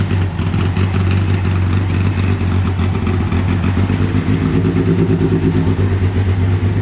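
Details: Rebuilt Deep Orange 9 engine on its first start attempt, supercharger not refitted and starter fluid sprayed in. A lumpy, uneven rumble keeps going only with the throttle held open; it won't idle. The cause is suspected, not confirmed.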